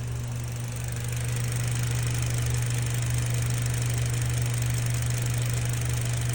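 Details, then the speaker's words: 2019 Mitsubishi Cross CVT, 65,000 miles, after fluid change: steady low hum at idle, turbine whine gone immediately. "ya no hay ruido de turbina, se quitó inmediatamente."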